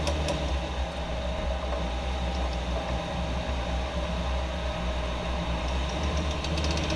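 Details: 2014 Jeep Wrangler JK: steady low rumble with faint repeating knocks; owner suspects rear driveshaft, cause unconfirmed.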